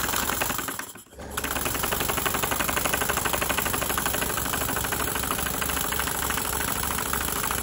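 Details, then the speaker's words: Model steam engine run on compressed air after some water got in it: a fast, even ticking beat with steady air hiss. The earlier knocking is gone and it runs healthy. Normal running. "that knocking's gone now cut it down that's a good screen for me yeah that sounds a lot healthier now"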